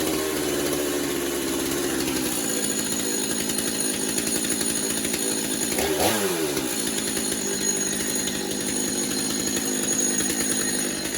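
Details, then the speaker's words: Stihl MS250 chainsaw after new clutch drum sprocket and air filter, low on fuel: two-stroke buzzes steadily at high revs with a clean even note, no rattles; no clutch issues, running healthy. "We're going to fire it up, make sure it's operating like it's supposed to. There's no issues with the clutch."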